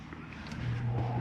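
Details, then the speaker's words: 2022 Coachmen Catalina 303RKDS travel trailer, AC switched on at the thermostat: a low hum swells and settles into a steady drone as the rooftop AC kicks on; normal air conditioner start-up. "There's your AC kicking on."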